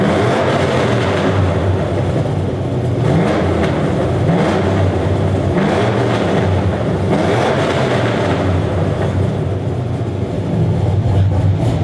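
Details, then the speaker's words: 2004 Chevy Silverado 1500 V8 with long tube headers and stage 4 cam, revving with the $90 eBay exhaust cutout valve closed: loose tinny rattle over the exhaust note from the cutout valve flapping. "so I'm idling some revs just so you can hear how much rattling is actually going on can you hear how bad that is rattling"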